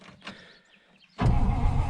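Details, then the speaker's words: 1953 Oldsmobile Super 88 barn find, parked since mid-1970s, cranking in neutral before gas is added to the carburetor: after a pause, the starter gives strong, even low churning as the engine turns over freely; healthy cranking. "and it does crank over pretty well so we'll put some gas on the carburetor and we'll see if we can get it to fire up"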